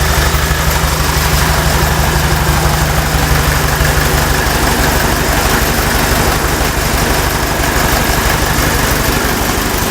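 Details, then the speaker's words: Old Fiat 352C diesel farm tractor after new pistons and rings, refurbished injector pump and alternator, new glow plugs and filters, Seafoam-cleaned pump: steady even idle, regular low thump about three beats a second, no stumbling; no longer bogs uphill, runs healthy. "not bogging down or anything because that was the thing is that I come up the hill they come up the hill just right off it's really great okay so that sounds like a motor now"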